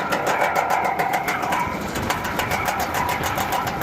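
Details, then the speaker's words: HVAC package unit running with a loud, fast, steady tapping rattle, about three to four hits a second: a loose part striking the plastic window, being secured with a screw. "Oh, okay. Hitting that plastic window."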